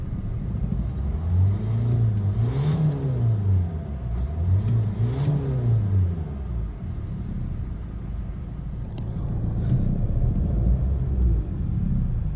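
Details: Renault Megane 1.5 dCi diesel after replacing faulty injector no. 3 with a good used one and clearing codes: steady note rising and falling smoothly through two throttle blips, no misfire; runs clean.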